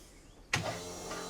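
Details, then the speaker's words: 1969 Chevrolet C-10 restomod, first start, running on lawnmower gas; electric fuel pump whirs then holds a thin, steady, unloaded hum running dry until it primes and builds fuel pressure. "It's obviously working. I'm going to do that a couple of times cuz it sounds like it's dry. Oh, there it goes."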